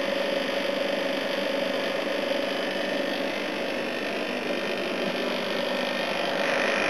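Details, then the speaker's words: A/C unit on its proper run after its compressor sat for oil (sounded oil-filled on an earlier try): steady even roar of fan air, constant mid-pitch compressor hum, head pressure building, no knocks or rattles; running healthy. "It's definitely working. Cool, I've got some head pressure now."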